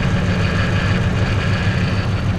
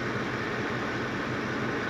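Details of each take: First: Ford F-150 5.4 3-valve V8 with cam phaser and timing chain problems: rough lumpy idle; unplugging injectors on one bank made no difference, so none of those cylinders is firing. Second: Ford F150 5.4 3-valve V8 after cam phaser and timing chain replacement, idling with microphone right at the exhaust: steady even rumble and hiss, no rattle or ticking; normal idle.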